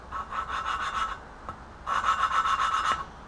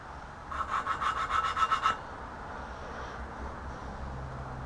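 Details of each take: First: Lapping an exhaust valve on a BMW E30 M10 cylinder head: gritty back-and-forth rasping strokes with pauses; tone changes as seat improves, but valve not yet sealing and lapping tool keeps popping off, needing resetting. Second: BMW E30 M10 cylinder head, valves lapped by hand: gritty back-and-forth rasping strokes, tone changes as seat mates; exhaust valves in much rougher shape than intakes; valve lapping.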